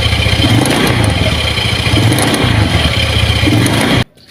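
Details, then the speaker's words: Honda Beat carburetor scooter under throttle: rough clattering knock about four beats a second over a loud engine roar from the CVT; worn CVT bearings in the CVT case. "jadi seperti itu ya teman-teman suaranya ke melotok ya saat posisi gigas"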